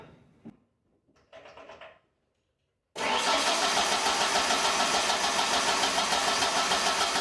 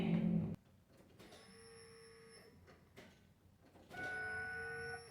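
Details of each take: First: 1996 Ford Ranger after fuel pump replacement, pump confirmed running, very little old fuel in tank; steady cranking about three and a half beats a second for nearly five seconds, never catches; low fuel suspected. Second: 1996 Ford Ranger after fuel pump replacement, key on with little, old fuel in the tank: two steady high even hums about a second each in a quiet cab, sounds like fuel pressure building; normal fuel pump priming.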